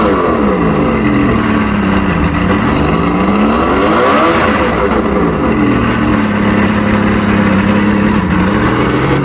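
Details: Mercury inline six outboard after no-spark repair (trigger and stator tested, spark on all six cylinders): strong, even running, pitch rising and falling cleanly through a throttle blip, no misfire; weak water pumping, impeller needs replacing.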